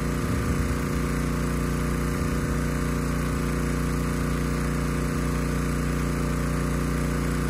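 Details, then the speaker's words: Honda EG1400x generator after cleanup, fitted with a new air filter: steady, even single-cylinder drone with no misses, surges or knocks, running smooth under a 750 W load. "anyway this engine it sounds great it runs very smooth has absolutely no issues handling a 750 watt load"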